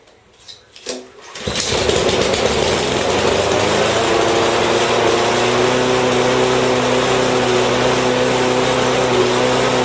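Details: Husqvarna mower with Honda engine after no-start repair: pull-start catches at once, then steady, even buzz with no surging or misfire; healthy running.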